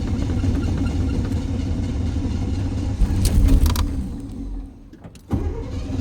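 Long low churning crank that sags and dies out, then picks up again; engine reluctant to catch, hard start.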